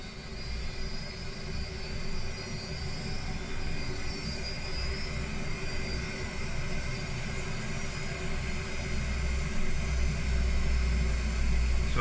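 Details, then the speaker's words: Gas boiler forced to maximum rate, gas pressure 21 mbar falling to 18 mbar at full rate through a badly kinked pipe: deep steady roar building over several seconds. Noise not caused by low gas pressure; cause not pinned down. "so 21 millibar at the minute so it's not quite on full rate yet but it will kick in in a second when you're ready when you're ready you can hear it ramping up now"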